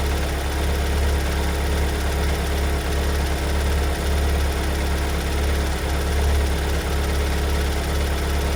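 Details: Kia Sorento 2.2 diesel MQ4 2022 at cold idle after a cold start: steady deep diesel rumble with an uneven, heavy knock running through it. Loud knocking appeared just after two weeks in Kia service; the car never did this before. Cause not identified.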